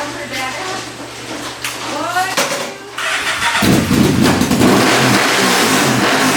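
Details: 1998 Yamaha Vmax 1200cc V4 with Black Widow mufflers and a misbehaving throttle catches after a few seconds, then settles into a lumpy, uneven idle with faltering revs. Rough idle; the plan is to clean out the carbon.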